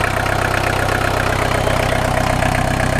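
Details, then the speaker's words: VW Golf 1.6 diesel just after starting, following refitting a misaligned alternator: a regular diesel clatter at steady idle with no whine or squeal from the spinning belt; healthy and settled. "yeah it's spinning and it's not a nice not whining"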